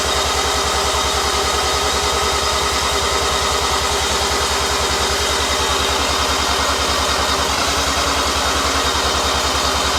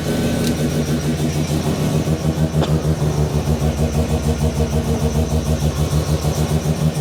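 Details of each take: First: New Mazda 13B bridgeport rotary on first start, second attempt, no throttle, with long cranking possibly needed to seal the rotors; fast, even starter churn, about two and a half compression pulses a second, never catching; cranks but won't start, cause unconfirmed. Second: New Mazda 13B bridgeport rotary just after its first start, cooling system being bled and temperature watched: steady, even pulsing idle around two hundred beats a minute, no knocks or rattles; healthy idle.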